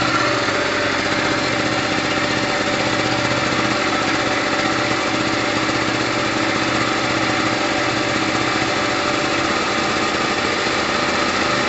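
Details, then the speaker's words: Gilera DNA 125 two-stroke after a new fuel line and filter: steady, buzzy idle with an even beat, no misses or hunting; fuel heavy with two-stroke oil after long storage; running healthy. "all right guys that sounds amazing i've got a lot of two-stroke oil in there"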